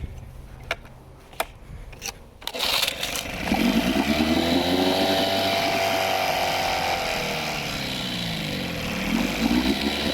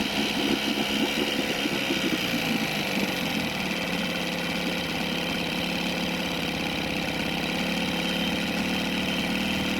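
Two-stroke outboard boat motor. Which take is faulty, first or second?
first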